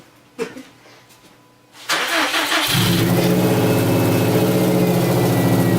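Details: Subaru EJ257 first start after head gasket and cylinder head install: short crank, catches and settles into steady even idle around four beats a second; normal start and idle, though owner then says something sounded weird.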